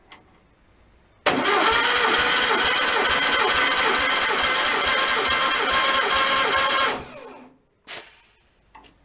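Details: Freshly assembled stock 1600cc VW engine during compression test, readings around 150 psi: even starter cranking with steady compression pulses about three and a half per second for six seconds; turns over normally.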